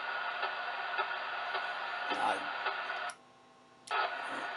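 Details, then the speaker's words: Yaesu FT-891 radio with ATU-100 antenna tuner: sharp, regular ticks about twice a second over receiver hiss, heard across all bands; owner suspects a birdie from the internal circuits, not confirmed. "this is just for camera you can hear that tapping it's all the way across the bands"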